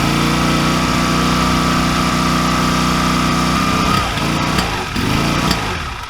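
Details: 2002 Honda Rebel 250 (CMX250C), 20 years old, 1,888 miles, long unused, dirty carburetor, started on a jumper pack (dead battery): small single putters steadily, then the beat turns uneven and stumbles as revs sag; rough running, carburetor suspected.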